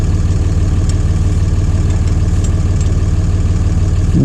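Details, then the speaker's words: John Deere 2030 tractor diesel, Stanadyne/Roosa Master injection pump just refitted after overhaul and calibration: steady cranking about three compression pulses a second, no firing yet, while fuel lines are primed. "we got fuel coming out number two and number three and we're gonna tighten the lines up and it should go kicking off here just a little bit now or at least get smoke coming out the exhaust"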